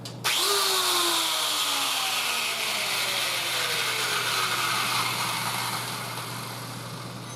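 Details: Welder's angle grinder after replacing worn carbon motor brushes: switches on sharply, spins up to a high, steady whine and holds evenly; motor running properly after repair.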